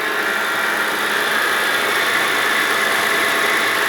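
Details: Mitsubishi Pajero engine at steady idle after replacing the idler pulley suspected of a squeaky noise and refitting the fan belt; smooth even hum with no squeak or chirp, sounds healthy.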